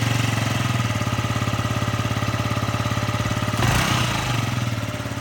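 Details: Yamaha Jog ZR scooter (SA36J/SA39J), about 9,000 km accident bike, after repair of an abnormal engine noise: steady even putter at about 3.5 beats per second, a quick clean rev, then settles back, a healthy engine.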